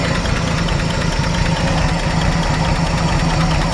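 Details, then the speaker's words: 1951 Chevrolet 3100 truck, straight pipe with no muffler: loud, deep open-pipe burble at idle, steady and even with no knocks or skips; engine sounds really healthy; normal idle. "actually got a straight pipe on it no muffler and I actually really really like the way it sounds this is actually might be one of the first trucks I've ever gotten with no muffler on it sounds awesome engine sounds great really healthy"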